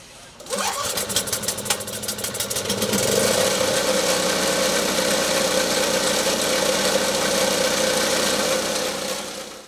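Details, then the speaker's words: Snow blower after spark confirmed and a new spark plug fitted: a few pull-rope chuffs, then the engine catches and settles into a steady, even small-engine drone; normal start and run. "looks like we were successful at getting our engine running"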